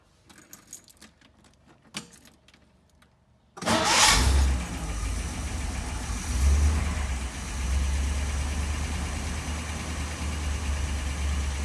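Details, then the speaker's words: Cold start of the engine after a rebuild of its Holley 1273-1 carburetor, untouched that day, two pumps on the gas, in neutral. It cranks briefly, fires right up and settles into a steady, even idle with a smidge of gas: a normal cold start. "And as you can see, she fires right up. I am giving it just a smidge of gas right now. Keep it running."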